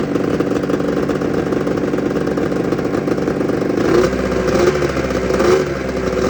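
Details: 1996 Arctic Cat ZRT 600 two-stroke snowmobile after a fuel pump rebuild with a Vertex kit. It buzzes at idle, takes a couple of brief throttle blips, then drops back to an even idle: normal, healthy running.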